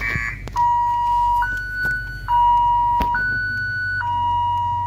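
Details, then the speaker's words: 2007 Ford Focus that won't start: aftermarket alarm wails between low and high tones about every second and ignores key-off; the faulty aftermarket alarm is preventing starting. "So what happened is, this alarm is no good."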